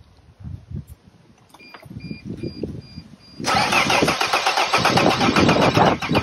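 A chime sounds, then the starter cranks steadily at about four beats a second and the diesel never fires: cranks but won't start.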